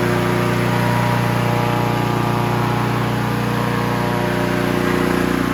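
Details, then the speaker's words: Honda HR17 push mower, year unknown (owner guesses early-to-mid 80s), small flathead Honda engine, shroud off, after freeing a stuck governor and likely butterfly: smooth even hum at constant operating RPM, no hunting or misses; normal running. "so everything is uh freed up now that governor was stuck a little bit uh I think the butterfly was too but nice and free now started right up runs good it went to uh where it should operating RPMs"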